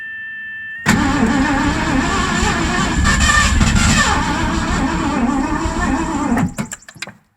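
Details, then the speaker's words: Ford 302 V8 in an 1984 Mazda RX-7 with C4, sat 8-9 months; new plug wires, fresh fuel on carb. Steady fast starter churn about six seconds with uneven near-catches: cranks but won't start. "we're getting closer all right we're playing around with the timing here and we've gotten a little bit closer um we still have weak ignition"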